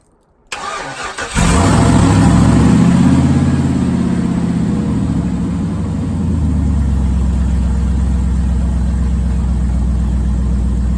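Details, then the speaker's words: 5.3 LS V8 swapped into a 3rd-gen 1980s Firebird with straight-pipe exhaust, cold start in a Canadian winter after sitting a couple months, battery kept up by solar panel. Quick crank, catches at once, flares high, then settles into a loud, even idle; healthy cold start. "Sounds good. Oh yeah. Haven't heard that sound in a little while."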